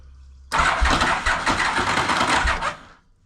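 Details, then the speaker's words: 1991 Yamaha Venture Royale motorcycle cranking on the starter button: a harsh grinding crank with uneven thumps for about two and a half seconds, no start; the starter clutch is slipping and grinding and is to be replaced. "It's um sometimes when you hit the starter button, you can hear it slipping and grinding and"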